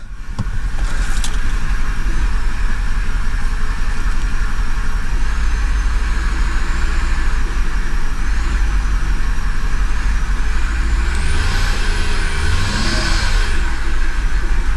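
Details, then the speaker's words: Flood-damaged 2008 Mercedes CLK550 V8, first run after cranking, with gunk in the cylinders and bad oil: an uneven, lumpy idle, then revs and drops while still rough. Suspected to be water picked up from the intake; no engine knock heard. "oh now it's shaking badly it's probably it's it's picking up the water from the intake"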